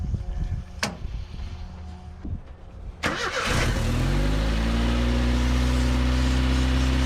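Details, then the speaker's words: Long-parked truck, last tagged 2005, with carburetor, cranks, catches and settles into a fast rising idle with a steady airy hiss over it; a big vacuum leak. "vacuum leak right there"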